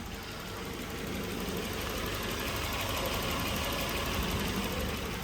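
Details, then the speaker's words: 1990 Volvo 240 automatic, sat 6-7 years, revived: steady, even idle with soft regular beat, no misses or knocks; runs really well. "This car runs really, really well."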